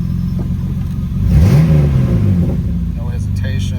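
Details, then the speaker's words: 1997 Mitsubishi 3000GT SOHC after the grounding was redone to cure a misfire; engine blips up and settles back smoothly with even firing, no stumble or miss. Running normally now. "It's crazy how much grounding can affect the way a car runs."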